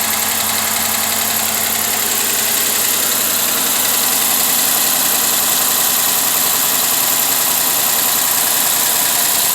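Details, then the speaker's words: 2013 Dodge Charger V8 with misfire and code despite new coils and plugs, started in cool weather around 48–52°F: fast, uneven ticking and tapping at idle over a hissy engine sound, suspected bad lifter. "ticking and attacking and the banging and the bungee yeah had a bad lift i got to be in this one"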